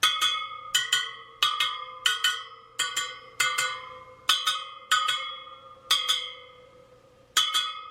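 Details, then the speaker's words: Sur Ron Light Bee supermoto front wheel build, second round of pinging spokes, about one every 0.7 seconds: mostly same high pitch with one odd note, so that spoke is out of tension and gets a quarter turn. "this one sounds a little different quarter turn"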